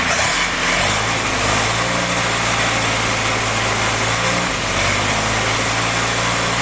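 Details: Freshly rebuilt CJ5 snowblower Jeep F-head four-cylinder, original cam, kept at fast idle for break-in: even drone with revs eased up and down, no knocks or ticks; normal fast idle, only a small coolant leak at the block drain cock seen.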